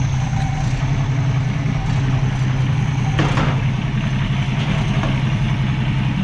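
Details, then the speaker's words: 1965 Mustang straight six, Autolite 1100 carburetor, after idle speed screw raised to about 800 rpm: even low rumble holding steady without stumbles or surging; normal idle, sounds much better. "that sounds so much better hopefully we have this all figured out"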